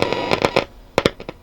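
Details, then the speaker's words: Hacker Herald RP30 transistor radio during repair, first power-up: faint whine with sharp irregular crackles and pops as the dial is tuned; scratchy tuning, owner suspects the tuning capacitor, not confirmed. "I'm not hearing much bit of a wine that's a tuning over there nothing o that sounds like something's very"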